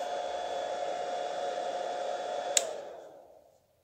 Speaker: you can listen how much noisy this power inverter is there is no load running at this time but still its fan is running at full speed so that means there is no built-in automatic fan control system in this power inverter